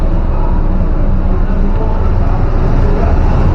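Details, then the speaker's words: Chevrolet Estate with the AC on: a loud, rough, steady low growl from the right side of the engine, which is smooth with AC off; AC also not cooling well; the mechanic says the compressor needs replacing. "udah sampai nih mobil langsung masuk ya ini Om kurang dingin Terus kalau aset dinyalain tuh kayak agak bunyi berisik tuh"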